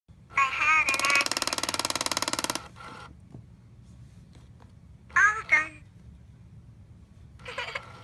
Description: Doll is in good condition, but she makes a clicking sound. The clicking can be stopped by putting something in her mouth.